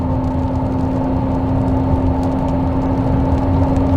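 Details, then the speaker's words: 2022 Hyundai Santa Fe Calligraphy, 8-speed DCT, about 80,000 miles, noise since 70–75k: steady electric-sounding hum over road rumble while driving, present in neutral or drive and off-throttle, louder with speed; transmission whine before warranty repair. "Now, when you hear that sound, it almost sounds like the car is electric, it's some sort of weird hybrid, it's loud, it's crazy, and it happened no matter what we did."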